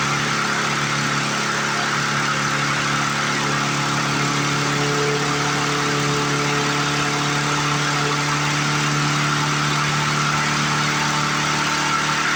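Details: 1997 Lawn Chief push mower pulled from scrap, first start after priming without carb cleaner: small single-cylinder runs at a steady high, buzzy speed with no load change; sounds like it is overspeeding, cause not confirmed.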